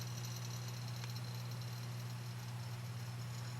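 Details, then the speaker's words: Vintage Sonny Jr. push-pull 6L6 harp amp with volume drop and distortion; steady mains hum broken by snap-crackle pops, traced with a microphone held against each tube to an arcing pin on the defective 5U4 rectifier tube. "I'm going over to the rectifier tube there he is so the noise is coming from the rectifier tube"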